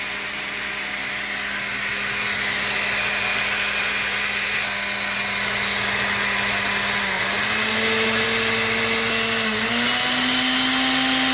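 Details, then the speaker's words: Blender motor running with a loud, harsh roar and buzzing hum and heavy vibration, from a significantly worn lower motor bearing; a carbon brush holder terminal was also nearly detached. "the lower bearing has significant wear and this is what causes the high vibration which means a lot of noise"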